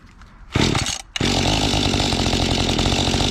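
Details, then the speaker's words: Mantis tiller small two-stroke, bought at an estate sale in unknown condition, started on choke after a fuel-system clean with the carburetor unadjusted. It sputters, then runs ragged and buzzy, starved for fuel, with the high-speed screw at its stop: lean running. "Well, still starving for fuel, sounds like."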